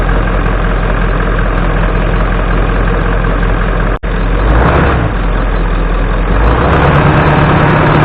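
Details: 1996 Ford F250 7.3 Powerstroke diesel warming up after a cold 30°F start following 2.5 years sitting, before an oil change; steady even idle clatter with deep unchanging rumble, no knocks or misses, normal.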